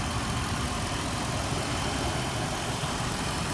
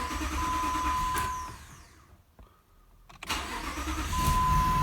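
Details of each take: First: Jeep Grand Cherokee after crankshaft position sensor wiring repair and replacement clearing P0335/P0315: starts right up, steady even idle with steady rpm, no misses or knocks; runs smooth. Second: 2005 Jeep Grand Cherokee Limited 4.7 with codes P0335/P0315: engine runs, dies, then cranks and catches after a pause; hard starting needing three attempts, then a flashing check-engine light, from a crankshaft position sensor wiring fault; sensor replaced.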